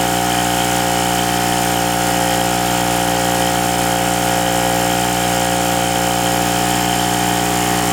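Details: King Canada 950W (800W running) two-stroke generator, previously non-starting after sitting, repaired and tested under load with a heat gun plugged in: steady, even drone holding constant pitch with no hunting or misfires; running healthy under load.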